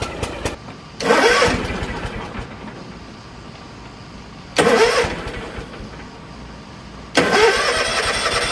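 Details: John Deere X324 four-wheel-steer riding mower with choke, brought in as a no-start after sitting a long time, at full throttle with choke up: three short bursts a few seconds apart as it cranks and fires, each settling into an even running note; starts normally.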